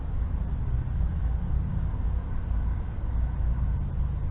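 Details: Husqvarna riding tractor after sitting all winter, engine at steady speed: loud raw low rumble with coarse flutter through a broken exhaust damaged over years; owner won't fix it, says it quiets over time; heads previously off, running good.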